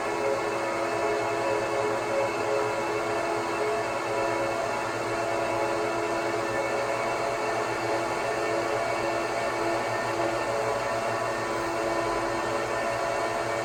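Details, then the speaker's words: 2009 Apple Xserve (2x Xeon E5520) just after startup, OS on two RAID disks. Constant loud whir with several steady tones and no speed change. Normal loud fan run, too noisy for living areas; a basement is suggested. "this is one of the reasons the Xserve is not for everybody of course the noise level prohibits you from putting this on the your bed in the bedroom as a server"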